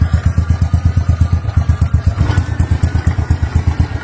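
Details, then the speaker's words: Motorcycle after fixing hard idle caused by a leaking, hollow intake manifold, idle screw and valves unadjusted: steady, even single-cylinder thump around 167 per minute, no hunting or stalling; idle back to normal. "Teman-teman, mesinnya sudah menyala, sudah normal kembali. Langsungnya juga normal."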